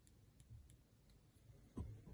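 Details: iPhone 13 Pro, defective: faint sharp clicks at uneven spacing over near silence, then handling thumps; back glass clicking or popping under pressure.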